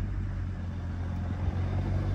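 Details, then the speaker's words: BMW 135i with a 550i/335is clutch and lightweight flywheel, idle raised by foot to about 900 rpm: steady low engine hum, flywheel rattle mostly gone; letting idle drop back brings a deeper knock. "as we can hear the noise is pretty much gone and if we let go of it it's more of a deeper knock basically"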